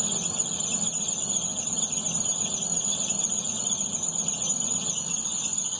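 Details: 2011 Astra with a new poly-V belt and crankshaft pulley already checked: constant high-pitched squeal over the engine hum when the A/C is switched on; belt slipping under compressor load, tensioner suspected but not confirmed.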